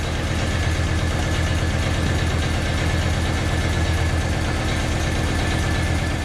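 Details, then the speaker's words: 1985 Audi Coupe B2 after a compression check, new plug wires, fresh gas and injector cleaner: still a really bad misfire at idle, an uneven, stumbling low beat, one cylinder missing; one plug found heavily carbon-fouled. "So next step is just to check the timing, and then after that I'll probably have to pull the injectors if that doesn't take care of it. Still has a really bad misfire."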